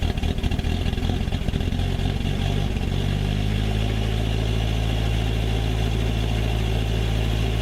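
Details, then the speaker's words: Old Ford Courier WL-T diesel cold start in summer: stumbles and clatters unevenly about three seconds after firing, then settles into steadier idle; hard starting, glow plugs removed to diagnose, suspected failed. "you just seen how cold starts and that's pretty rough in it's not that cold a we're in summer and it's starting like like it's in Alaska"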